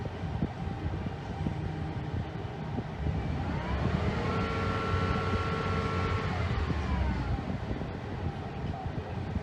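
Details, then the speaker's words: Ford F-150 after some freon was released to bring the low side under 200: a brief rev over a steady rumble, a compressor whine still present, and the cooling fan running at normal speed, not stuck on high; the AC is still cold. "now let's step on the gas the fan is operating at a normal speed all right the ac is still real cold"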